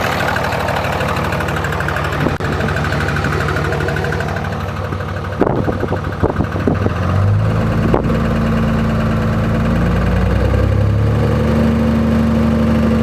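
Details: 2004.5 Ram 2500 Cummins diesel running: steady deep knock roughly three a second over the usual clatter; heard in reverse when the truck bounces on brake release, goes away at idle; source not pinned down.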